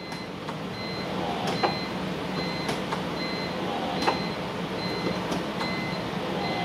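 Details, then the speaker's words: BMW E46 in-tank fuel pump, heard from under the car near the rear seat at ignition on: faint steady high hum with a few clicks, priming a couple of seconds then stopping; normal. "that sounds that's your fuel pump guys so we are able to hear that now but only for a couple seconds and then it stops"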